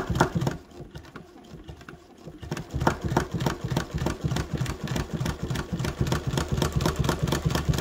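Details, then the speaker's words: Chainstitch embroidery machine: fast irregular thumping and popping about three per second while sewing, needle catching and pulling the nipple up; needle catching in lint-clogged nipple. "hear that noise that means my needle is getting stuck in my nipple and pulling the nipple up with the needle"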